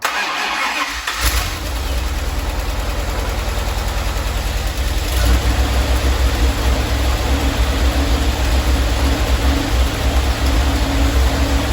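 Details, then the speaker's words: 1977 Dodge Ramcharger 440 V8 first started cold: it cranks and catches, then idles lumpy and uneven. The 100 amp alternator is charging and oil pressure is good. The owner thinks it needs warming up. "so our charging system our 100 amp alternator is working we have good oil pressure obviously sounds like it's running a little rough I could use a good warming up"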